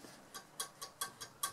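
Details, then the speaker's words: 1939-ish Rolax 5-valve broadcast radio, tuning gang after cleaning: light scratchy metal ticks about every fifth of a second as it turns; plates rubbing, caused by an earth wire bent during cleaning. "something's rubbing so you also want to stop that because rubbing is bad right these plates need to be close to each other but not touching"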